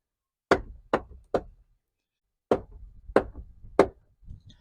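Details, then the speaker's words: 2017 Ford Transit 350 XLT 12-passenger van, 3.7 L naturally aspirated V6, automatic, bought used at about 36,000 miles: the passenger door gives three distinct sharp clicks as it swings open, then three more. Cause is a worn door check guide pin on the sliding stop. "If you own one of these vans, you probably know this sound. 3 distinct clicks."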